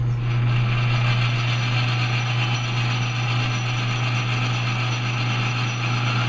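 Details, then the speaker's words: Lathe tool chatter on a power-feed cleanup pass while making knurled thumbscrews: steady motor hum under a rough rattling scrape, because the cutter is set at too large an angle; it is then re-angled to try to fix it. "go there's a good example do you hear that chattering going on I'm scraping back here I don't have I have too large of an angle so let me do it this way and see if that helps it out"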